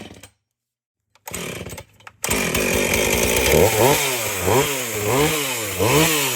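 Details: Husqvarna 450 chainsaw after rebuild and Hipa plug, cutting wood: after silence it fires, revs rise and fall about once a second through the cut, pulling cleanly without stalling.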